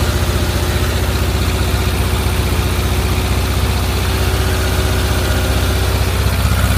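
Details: 1.7 L Volkswagen Type 4 engine at idle: steady low idle with an even knock on every turn, roughly four per second; the source is not yet identified.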